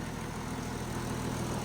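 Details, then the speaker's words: Crusader idling about 10 minutes after a new turbo install and different spark plugs: steady, unbroken low rumble with buzzy vibration from solid-mounted parts; normal idle. "Hasn't skipped a beat, doesn't seem to be worried by the different spark plugs. Don't worry about the vibrating noises, it's the joys of having everything solid mounted, and the old Rio's a bit vibraty."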